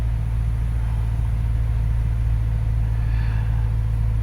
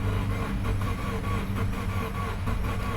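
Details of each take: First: 2013 Subaru Forester SJ, FB16 naturally aspirated engine after crank-no-start diagnosis: steady smooth idle with no misses or knocks, tach steady; excess fuel in cylinders expected to clear, warming up. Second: 2013 Subaru Forester SJ, FB16 naturally aspirated engine, crank no-start on a jump pack: a quick, even, unhealthy crank that never fires; compression loss or flooding was suspected, but the cause is no spark, with the ignition coils getting no power.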